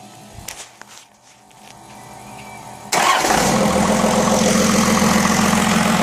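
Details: 1st-gen Cummins diesel, first start after rebuild following a wreck, lines purged, AirDog lift pump wired in: brief crank then catches into steady, even diesel clatter and clean idle; healthy.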